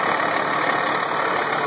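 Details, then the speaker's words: 1996 Ford Thomas activity bus, 5.9L Cummins diesel, idling after a cold start at about 70s°F: even, steady diesel clatter with no misses, knocks or belt squeal; fan and belt working well, engine healthy. "Oh, it sounds good. Running smooth. Fan's working good. Belt's working good."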